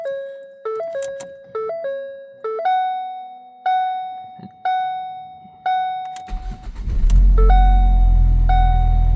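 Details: 2012 Ford Focus sedan right after installing a new battery: door chime tones repeat, short crank, engine catches quickly into an even idle; normal engine start.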